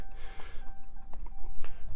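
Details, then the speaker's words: 2019 Ram 3500 after installing polarity-specific LED marker bulbs that failed on one side: right turn signal clicking fast, about two a second (hyperflash), partly buried under steady door-open chime. "i don't know if you can hear that clicking over the dinghan but you can already hear it's clicking fast so i put that turn the uh right turn signal on"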